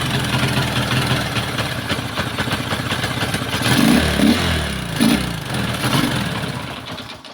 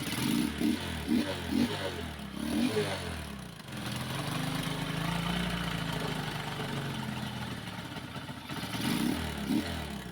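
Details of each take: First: Kawasaki Boxer single-cylinder after conversion to a Lifan 110 4-pin CDI (AC type): has spark but idles roughly, lurching and surging unevenly, then stalls; conversion was incomplete, flywheel not modified to match the new CDI. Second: Kawasaki Boxer motorcycle converted to a Lifan 110 4-pin AC-type CDI, previously running rough and dying; now revving cleanly and settling to a steady run with no stumbling or hesitation, though running low on fuel.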